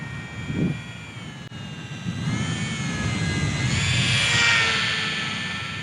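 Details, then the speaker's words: Eachine Mini P-47 RC warbird with 1S brushed, likely geared motor: high buzzing whine climbs and holds as throttle opens, harsh and noisy; gearing or internal fault suspected, not confirmed. "the motor is kind of noisy i think it's a geared motor you guys can probably hear it it's i don't know the gearing is not exactly right or if there's something inside there but it's pretty noisy"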